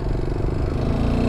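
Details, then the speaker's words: Honda Grom running at low revs while ridden home slowly: quick rhythmic ticking over the exhaust beat; an oil starvation mod was not pumping oil, leading to the piston starting to knock, getting louder. "she is definitely ticking yeah there we go"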